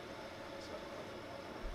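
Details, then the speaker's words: Broan-NuTone bathroom exhaust fan after replacing the old noisy motor with a new kit, cover off: steady, even whoosh with a soft constant hum, no rattle or scraping; runs smoothly. "I've turned the power back on and you'll hear uh it sounds so much better than it did before. Um but obviously it sounds a little different without the cover on."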